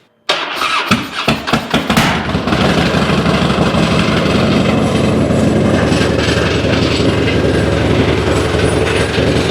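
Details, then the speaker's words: 2006 Harley-Davidson Dyna Wide Glide fuel-injected V-twin, new plugs, on lift: cranks, catches, lopes unevenly with one cylinder dropping in and out; roughest, poorest-running fuel injection, threw a code; intermittent cylinder misfire, cause unknown. "Okay, she is indeed cursed. That is the roughest, poorest running fuel injection I have ever heard. Something has definitely gone wrong."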